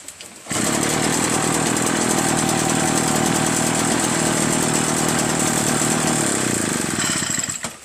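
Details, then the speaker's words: Echo PB-403T two-stroke backpack leaf blower after carburetor cleaning and magneto reinstall: catches, holds a steady even high-revving buzz about seven seconds, then cuts cleanly; normal running. "How about that, huh? This thing works great now."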